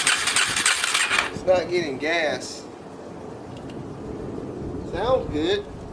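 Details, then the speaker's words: 2004 Yamaha TT-R 250, long sat, first run on starting fluid spray: small single catches and uneven blips, won't settle to a steady idle; idle screw backed all the way out, needle and seat suspected set wrong, carb needs cleaning. "whoa idle oh they got the idle screw all the way out thanks smoking and then well it runs"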